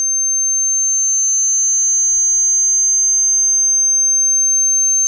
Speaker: let's go on the headphone monitor so turn up the use the output from the sony headphone monitor let's turn that whining sound here so you can hear it